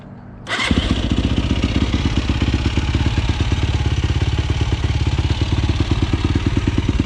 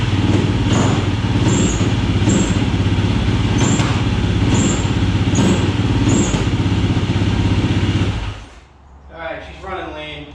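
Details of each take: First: 2007 YFZ450 SE single, finished build, jetted well and fast. Quick catch, then steady, even thump at idle with no knocks or misses; run until the fan came on. Healthy. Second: 2007 YFZ450 SE single after a new starter solenoid. Idles steadily with sharp pops about once a second until it cuts out. Running lean; pops stop with choke on, so a bigger main and maybe idle jet are needed.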